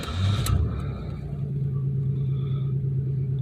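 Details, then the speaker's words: 1993 Chevy Lumina restarted after sitting about six days, where an idling issue had appeared. Quick crank and catch, a brief flare, then a steady, even idle settling lower with no misses, which the owner calls normal. Normal start and idle. "normal idle down a little which is normal it's idly normal"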